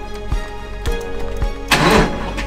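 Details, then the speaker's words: Porsche 986 Boxster from a junkyard, unknown mileage, first start after adding oil and a charged battery: sluggish uneven cranking of about two pulses a second, very slow, before it catches and runs with no smoke. "oh my God that was a very slow crank"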